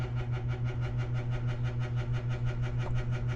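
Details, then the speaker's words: At a building entrance at night: steady low electrical hum pulsing about three times a second with even throb; rhythmic electrical throbbing hum, suspected failing light ballast, not confirmed. "So, I'm still a little puzzled where this sound is coming from. Somebody suggested that it could be a ballast from a light such as that one."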